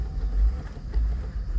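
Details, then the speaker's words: Repossessed Cadillac SRX with the check engine light on: a deep rumble surges and sags unevenly, running rough. The code reads throttle position sensor not getting a signal. "Throttle position sensor, not getting signal. Definitely would cause this type of behavior."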